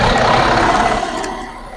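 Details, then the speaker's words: 2014 MCI J4500 coach with a fresh engine (listed as Cummins, also called Volvo) and Allison B500 transmission, rear engine bay open on a hot day: the diesel catches and settles into a smooth, even idle without knocks or misses; healthy. "I'm going hand the microphone over to Jeremy he's going to fire it up and let you guys listen to it"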